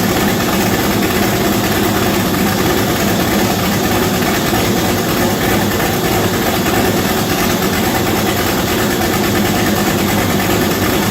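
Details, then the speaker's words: V8-swapped Chevette, first start before turbo fitted, radiator filled with water, mass airflow sensor unplugged: loud steady rumble holding an even idle, no knocks, misses or surging; normal idle. "we also unplugged the mass airflow sensor so you'll hear what it sounds like now with this setup on here"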